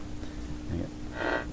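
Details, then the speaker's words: Philco PT-10 tube radio: constant low hum at one fixed pitch that doesn't respond to the volume control, from the power supply; before replacing the power supply filter capacitor. "doesn't doesn't respond to the volume there's no question it's a power supply hump so we're going to go after that"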